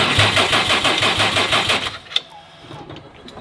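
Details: Subaru STI first start after a build, with no coolant: about two seconds of uneven cranking pulses that never catch, cranking without firing; a Haltech Elite 2500 was later found sending a constant 12V to the cylinder 5 ignition output.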